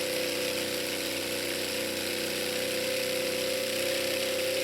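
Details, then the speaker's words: Off-grid tiny house water pump (rated 7 A, 10 A fuse) with steady, even buzzing hum and no surging or rattles while pressurizing the cold water lines, then it shuts off; pump and accumulator work normally. "Should shut off. It stopped. Okay, the lines are pressurized. Let's go indoors and check things out. So, the pump works, the accumulator works, the lines are pressurized."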